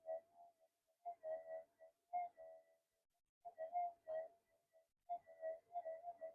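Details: Near-new Minelab GPX-5000 being modded, tested with the amp cranked up. A warbling mid-pitch tone swells and fades in bursts about every 1.5 seconds over a small target, a clean, normal response.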